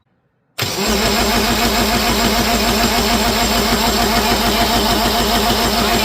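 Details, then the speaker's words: Universal M25XP marine diesel from a scrapyard, untested, fuel filter bled: starter cranks steadily at about 3.5 pulses per second, never catches; cylinders 1 and 2 get no fuel, injection pump suspected; cranks but won't start. "Number 1 and 2 aren't getting anything. Yeah. There's an issue with the pump. That's the end of that. Yep. So no starty."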